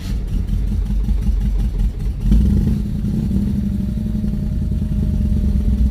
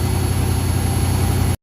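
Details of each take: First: V8 on a cold start, idling with a deep steady rumble and no whistle; EFI still learning its idle, idle settling slightly. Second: 1974 Ford F250 High Boy V8 fitted with a Sniper EFI kit, at idle: deep, steady rumble with a thin, constant high whistle heard on the fuel return side; owner suspects a fuel restriction, cause unfound.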